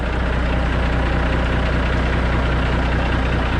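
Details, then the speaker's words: Kenworth K100E Aerodyne cabover, 13-speed transmission, after splitter valve replacement: steady, even diesel idle with no hiss or whistle, air system holding toward 60 psi; the earlier high-pitch air leak whistle appears cured. "and that sounds like it's not leaking at all so that might have taken care of our problems"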